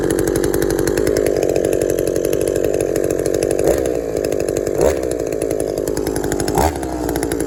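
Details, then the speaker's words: Shindaiwa 22T trimmer with aftermarket carburetor replacing original Walbro and a slightly sticky taped throttle cable: steady buzzy idle, three quick blips rising and returning cleanly; cable didn't stick, runs normally. "just a little rev just wanted to rev it a little bit to see if the cable would stick it didn't look like it was"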